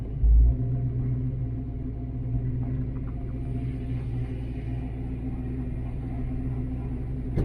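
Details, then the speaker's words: Foxbody Mustang V8 with roller rockers and stage 1 cam, after tightening the distributor and a test drive: steady deep smooth idle, quiet, only faint normal rocker tick, no hard tapping. "Just as quiet. You can hear a little bit of rocker arm noise, which you should if you have roller rockers. Car just, it's running good."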